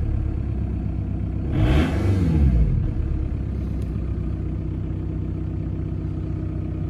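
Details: VW TDI ALH diesel just after fitting new, uncalibrated injector nozzles and bleeding the lines. It runs steady, revs up smoothly around the two-second mark and drops back to an even idle, with no misfire or knock.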